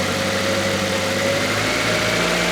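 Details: Stored project car that still needs a cam belt, brake work and some electrical work, started expecting it to run: steady, even idle with a smooth low hum and no knocks, misses or hunting.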